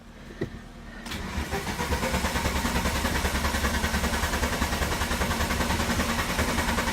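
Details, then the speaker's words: VW Cabrio, head gasket suspected, engine hot and stalling when given throttle: steady starter cranking about three pulses a second for several seconds without catching; won't restart without throttle, owner suspects a throttle problem, unconfirmed. "Let's see if we can crank it up real fast again. Oh. And now it won't do it without throttle."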